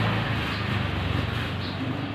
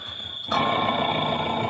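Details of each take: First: Automatic washing machine after motor replacement for a loud noise (old motor's bearings suspected; wash shaft found fine): the wash run now gives an even low drum rumble and steady hum with no knocking, grinding or squeal. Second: Automatic washing machine with loud motor noise: sudden steady high-pitched squeal; check with belt removed points to a worn motor bearing, suspected, not confirmed; fix is to replace bearing or motor.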